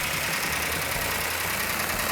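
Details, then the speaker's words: 1967 GTX 440 Super Commando, freshly built engine on initial startup held at high idle for break-in: light fast ticking of valve train noise, normal on a new engine. "got a little bit noisy valve train which is normal on a new engine we're going to hold the rpm up so the can can break in nice"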